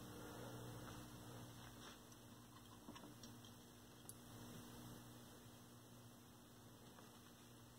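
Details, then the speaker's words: 1932 Aztec cathedral tube radio after clearing a short, about 375 V before the filter: speaker gives a steady low mains hum with no station, static or crackle; no reception, tubes unchecked, cause unconfirmed. "no crackle no sign of life no nothing I can hear the speaker humming away static"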